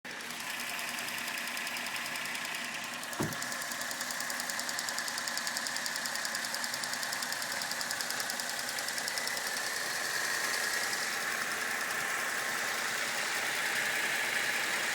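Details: Holden VE SV6 V6 at idle: a light, fairly regular knock or tick, about two to three a second, over a hissy engine note; owner suspects engine knocking, not confirmed.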